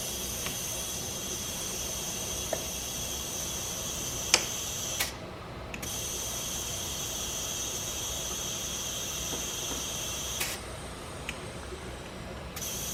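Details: Audi B5 S4 twin-turbo, engine off, boost leak test with compressed air: steady high-pitched hiss with a few clicks as air escapes from the boost piping; leak suspected at a lower charge coupler.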